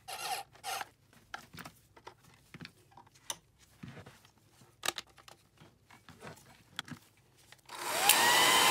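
After scattered clicks from handling, the dryer switches on to a smooth, even rushing whine with a steady motor tone, running normally.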